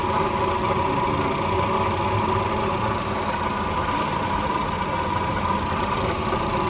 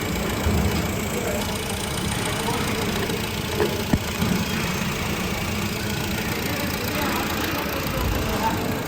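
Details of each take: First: Car at 86,000 km idling after start: steady rough whirring grind with a faint high whistle, like a broken bearing. Diagnosed by sound scope as a worn water pump bearing. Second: 2013 Honda Civic idling after water pump replacement: steady, even idle with a smooth low hum and no knocking, whining or squealing. Engine healthy, no check engine light, no overheating.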